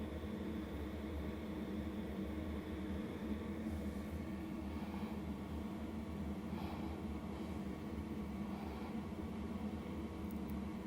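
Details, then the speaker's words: LF Bros 5KW diesel heater just kicked on, room about 80°, warming up: steady low hum with even fan rush, loud during heat-up process but smooth, expected to quiet once at temperature; normal. "initially it may get a little loud because it's doing its whole heating up process but once it reaches temperature it should quiet down"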